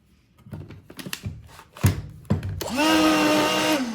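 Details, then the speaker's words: Black+Decker CHV1410L 16V Dustbuster, years old, after cleaning and reassembly: motor spins up to a rough, droning whine with an underlying rumble and a terrible smell; owner believes the motor is showing its age. "Oh, now it's making the noise. Interesting. And it smells terrible."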